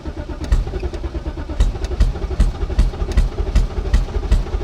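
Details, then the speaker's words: BMW revived after sitting: it ran roughly, seemingly on one cylinder, then fired less and less and now cranks in an uneven, labouring rhythm of about two to three beats a second without catching. Owner suspects it has no fuel. "that said it sounds like we're barely running on one cylinder right now we'll get there ah and then further on it proceeded to fire even less and ended up cranking over like this"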